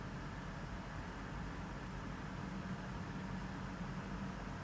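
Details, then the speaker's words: Lexus LX570 AHC hydraulic suspension, engine running in neutral, during bleeding after accumulator globe replacement: steady low engine hum with an even hiss as the suspension lowers smoothly and settles. Normal operation. "So we're going to start it back up. It's in neutral, as you can see. I'm going to lower it. Let it settle."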